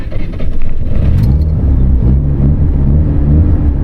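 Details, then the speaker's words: Mazda FC RX-7 rotary, first start after a turbo downgrade with injectors switched back, turbo pre-oiled and cranked to build oil pressure: starts right away and settles into a steady, even rumble with no misfires. "Starts up right away. Let's go."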